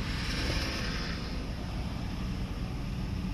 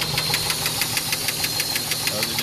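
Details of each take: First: 4x4 engine after top-end and chemical internal cleaning without removing the oil pan, previously neglected oil changes, restart: steady, low, even rumble with no knocks or ticks; idling smoothly and healthy. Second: Engine idling during first round of chemical oil-sludge cleaning: sharp, even ticking about six per second over the idle; valve train noise from oil starvation as the oil pump pickup screen clogs with debris, no oil light or overheating.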